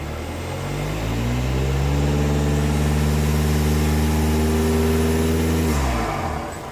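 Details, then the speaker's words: 2015 VW Passat TDI turbo diesel after the Rawtek cold air intake install: climbs smoothly to a high rev, holds about four seconds, then drops cleanly with a throaty intake note; normal rev. "Oh, that's awesome. Heck yeah. So that's pretty much what Rawtek promised as far as sound goes. So I am very happy about that."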